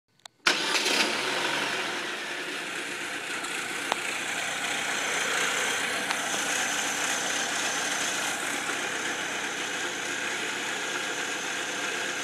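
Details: 2004 Saab 9-3 Aero: after starting, busy, hissy idle with a faint uneven rattle from the passenger-side serpentine belt area; owner suspects belt tensioner, idler pulley or timing belt tensioner.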